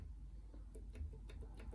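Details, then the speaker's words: Ingersoll S-profile lever lock picked with a Hillier 2-in-1 Lishi-style pick and decoder: faint, light, irregular ticks about every fifth of a second as a lever sits gated and taps in the same place, unlike the springy or solid levers. "okay springing again that tapping again in that same place same goes for that this one solid"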